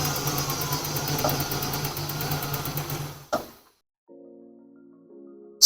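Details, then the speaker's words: Nissan R31 RB30 six after cleaning a distributor thought to be dirty. Engine holds an even, steady beat with no stumbles or missed firing, and the earlier shake and rattle are gone; misfire seemingly cured, normal idle. "as you can see runs a lot smoother um it seems to have gotten rid of the the H Mis fire so I'd say it was just the distributor was dirty"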